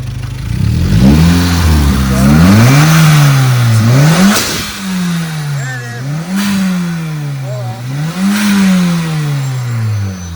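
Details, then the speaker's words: Honda Civic R18 (2006–2011) with freshly built shortblock, first runs, still before break-in, slightly warm: clean, repeated throttle blips rising and falling smoothly without stumble or knock; sounds louder, meaty and powerful, expected to improve after break-in; healthy revving. "Man, it sounds meaty, dude. It's gonna sound a little bit better after the break in."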